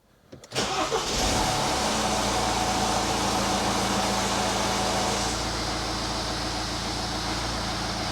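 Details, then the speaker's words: 2013 Mini Cooper D 1.6 diesel started and left at tick-over without revving right after an oil and filter change: harsh clatter eases after about five seconds as oil pressure builds; no warning light, normal. "Well, you could hear there, that took a little while for the pressure to build up, which is why you don't rev an engine that's been drained and just refilled. But there's no oil pressure warning lights on, so that's all you need to do."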